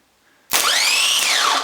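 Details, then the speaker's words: Ford Transit starter motor bench-tested by bridging power, with brass-coated shafts/bearings. A shrill whine climbs fast, holds about a second, then sags with a rough edge; worn bearings are thought to let the armature shaft wobble: worn starter motor bearing. "oh it sounds like the bearings in that don't"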